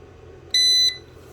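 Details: DeWalt 1400 A jump starter box: single sharp high beep about a third of a second, its loud warning beeper that sounds repeatedly while connected; beeper seemingly on the LED screen board, to be disabled.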